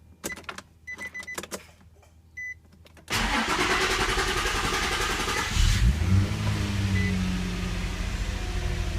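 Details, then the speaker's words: Infiniti G35/Nissan 350Z starting after fuel pump replacement, fuse reinstalled; quiet clicks and short beep, engine catches at once and settles into steady, even idle; normal start and idle. "Now you can try starting the car. It might take a second if, since everything's been disconnected, you can even prime the pump a few times."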